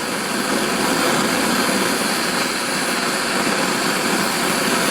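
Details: Antique paraffin blowlamp, newly assembled and tested outdoors in wind: an even, steady flame roar with gusty wind noise and no sputter or flameouts; the burner is running properly.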